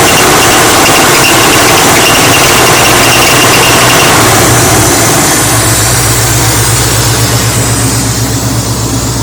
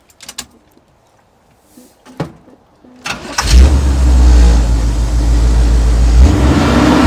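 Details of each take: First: 1983 Chevy C10 idling with a sharp steady high squeal from the power steering pulley; the pulley is being replaced. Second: 1983 Chevy C10 after power steering pump and pulley replacement with belt retightened: a few cranking clicks, then fires and revs strongly and smoothly with no squeak or chirp; the earlier squeak is fixed.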